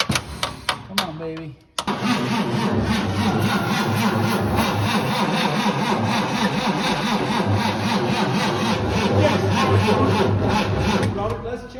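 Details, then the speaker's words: 1954 Chevrolet 3100 truck, 235 straight six parked since 1978, on jump box with ether and fuel getting in: starter cranks about four beats a second for ten seconds, perhaps one pop, no catch; crank no start, no spark. "yep cuz we're getting fuel in there and we got ether it should go something should go tried to pop that once"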